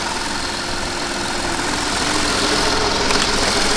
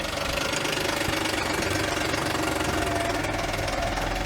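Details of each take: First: Audi A8 D3 petrol V8 after engine rebuild (one head had failed, all valves bent, tensioners broken): smooth, even idle with only injector ticking audible at camera, no knocking or rattling; runs perfectly. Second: Audi A8 D3 engine, previously rebuilt after the head failed, valves bent and tensioners broke: harsh, uneven, diesel-like clattering knock at idle, loudest on revs.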